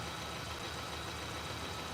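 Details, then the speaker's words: 2015 Kia Sportage EX 2.4L with poor acceleration, suspected OCV/CVVT fault: a steady idle with a faint, regular knock buried deep in the engine. The source is not yet located. "Yeah, I'm thinking we have to locate that knocking sound. Take that behind you. You hear that knocking? Take this up in here. I believe it's way down inside of that hole."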